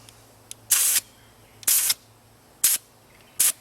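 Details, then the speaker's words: Tire inflated to 36 psi, over the 32 psi target, is bled down with four sharp, cleanly cut hisses about a second apart as the gauge relief button is pressed; air release hiss while adjusting tire pressure. "So I went too high. I'm at 36 psi. So I'm going to let a little bit out"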